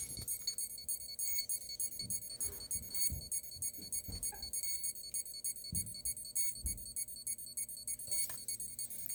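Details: Hexacopter with a Pixhawk 4, Tarot 4108 380KV 6S brushless motors and 1355 carbon props: the ESCs give repeated short high-pitched beeps and chirps, but the motors won't spin. The arming or error cause is unknown after weeks of troubleshooting.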